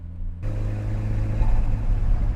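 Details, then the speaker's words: S13 Nissan Silvia on the road after an ignition coil pack kit install to cure a misfire: a low, even drone pulls smoothly under acceleration with no stumbling or popping. It no longer misfires and picks up a little. "Yeah, that felt good. Um it did seem to like pick up just a little bit."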